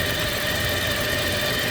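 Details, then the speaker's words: 2007 Toyota 2.7 engine after reinstall, idling: thin, steady high-pitched whistle-like whine, not from the drive belt (belt removed), internal to engine; loudest around the oil filter housing, though the oil filter was checked and changed twice. "Listen to this high frequency whine. It's not in the drive belt area. I took the drive belt completely off. It's something internal in the engine."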